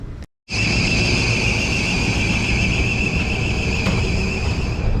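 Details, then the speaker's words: Carrier rooftop unit starting up after low-voltage/dead thermostat fix: loud steady high screech over the fan roar as the drive belt slips, attributed to air coming from the wrong place; quiet afterwards. "so this Bell was screeching but that belt was screeching because it had air coming from the wrong place"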